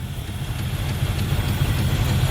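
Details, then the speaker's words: 1985 Camaro IROC-Z barn find, sat about 16 years, just revived with a new fuel pump, no tune-up or oil check yet: low, fairly even idle rumble with slight lope, no knocks or misses; idling fairly well. "she seems to be idling fairly good"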